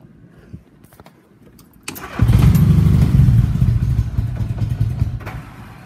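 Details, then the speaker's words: 1961 Cushman Shark Nose golf cart fitted with a Honda Goldwing 1100 engine, first start in a couple of weeks: catches after a short crank, then a smooth, even low idle with a steady beat; runs sweetly. "it has a Honda Goldwing 1100 engines and it runs really nice really a sweet running golf cart"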